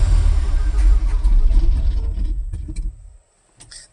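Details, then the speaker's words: 1977 Chevy squarebody barn-find truck, first start in 17 years, black smoke: rough, uneven V8 chugs and sags then dies; owner suspects lack of a constant-pressure fuel pump, other suspects a blocked line or no gas. "doesn't exactly want to keep itself running, but I don't know. It's cuz it doesn't have a fuel pump, constant pressure, maybe."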